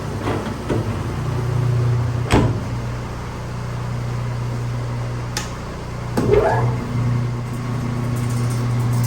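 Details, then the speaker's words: Highland Park 18-inch lapidary slab saw cutting Biggs jasper with the Everclean running, lid shut: even low motor hum with occasional knocks as the blade bites the rock; cutting normally until it stops itself. "Just let that run until it stops. The saw has stopped on its own."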